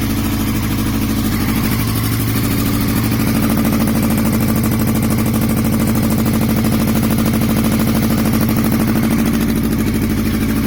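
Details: 2002 Yamaha R6 with 28,000 miles: the four-cylinder idles unevenly with a lumpy beat of about three pulses a second, then revs briefly; misfire from an unknown engine or ignition issue.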